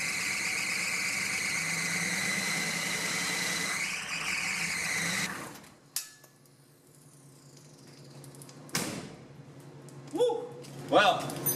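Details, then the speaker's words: Zombie Suburban diesel with newly fitted turbo, first start-up after glow plugs: shrill, steady high squeal over the diesel for the first seconds, then dies away; owner suspects loose fan belts needing tightening, not the alternator; belt squeal. "to tighten some fan belts or something it's not like the alternator built it's just screaming"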